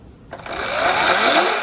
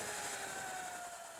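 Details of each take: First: Sur Ron electric bike with Luna Cycle 219 chain kit, after new jackshaft bearings and sprocket re-shimming, loudest under regen braking: harsh metallic grinding over motor whine swelling with speed; worn primary drive sprocket, motor bearing also suspected. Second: Sur-Ron with Luna Cycle 219 primary chain kit after re-shimming the front sprocket and new jackshaft bearings, hard acceleration: smooth rising whine, even chain hum, no clatter or grinding; sounds as it should, though owner notes sprocket is worn.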